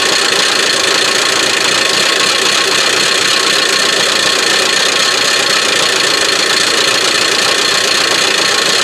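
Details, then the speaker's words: Buick Verano 2.4 L Ecotec non-turbo run deliberately without oil, no belt: harsh continuous dry metallic rattle; loud rattle then suddenly changed to a quieter, calmer rattle, something suspected broken inside. "the loud rattle went away and now it's a much more more quieter calmer rattle so I don't know if that's good or bad but the sound dramatically changed there it went from a loud rattle"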